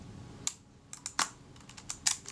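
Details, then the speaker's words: Kodak Retina IB type 019-II Synchro-Compur shutter, reseated after moving the rack one tooth clockwise, film advance operated: a few crisp light clicks with the shutter cocking before the end of the advance stroke; shutter now cocks correctly. "You can just hear the shutter cocking before I got to the end of the film advance stroke. Yeah, that's it there, that sound."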